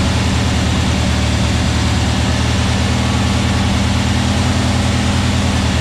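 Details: New VW Beetle 1679cc single-port engine with Scat C25 cam and dual Empi ITC carbs on its first fire-up for cam break-in. An even, throaty fast idle keeps a steady beat with no ticks, knocks or misfires. Sounds healthy, with timing set spot on; carbs still need tuning.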